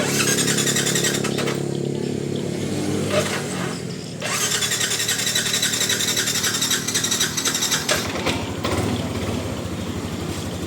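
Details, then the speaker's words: Used motorbike from 2020, original condition, about 9,000 km on the odometer: starter whirs in separate bursts with gaps before the engine catches and settles to a steady idle; hard to start on the first try, fine by the second or third. "Ya, kalau pertama memang agak apa namanya agak susah ya. Tapi nanti setelah kedua ketiga sherter dia udah cukup bagus dan mesinnya juga halus nih teman-teman."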